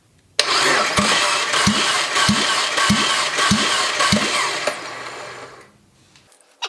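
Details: Junkyard Fiat 500 MultiAir engine cranked by the starter during a dry compression test, about three and a half even compression strokes a second without firing; readings were low on most cylinders, with the cause still unknown.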